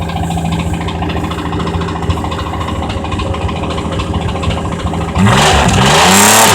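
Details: 1982 Chevrolet Camaro GM 2.8 V6 revved hard well past redline, hammering metallic rod knock rising with revs; engine near failure.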